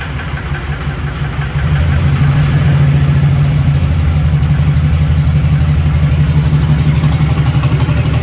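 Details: Newly built SoCal Diesel twin-turbo 1,000hp Duramax diesel at first fire-up: deep, lumpy idle with uneven pulse about three a second; cylinders firing out of sequence from mis-pinned injector harness.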